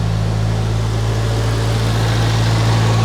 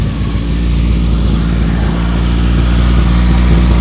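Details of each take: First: 1993 Geo Tracker just started after a fuel injector rebuild, timing not yet set: steady, even idle with no misses or knocks, slightly high and needing to come down; the owner suspects an odd sound from the alternator. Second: 1993 Geo Tracker idling after a fuel injector rebuild; the earlier white smoke is gone. A fast, sharp puffing tick, about four per second, rides over a steady idle: an exhaust leak.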